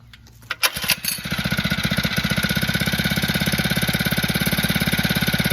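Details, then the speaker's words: Phatmoto engine with the choke left about 1/8 open. It coughs to life after a second, then settles into a fast, even putter that stays steady without hunting; a healthy idle. "choke now this time I am getting a nice and smooth Salon the engine he not searching dropping going higher nothing as you can hear it looking pretty good now"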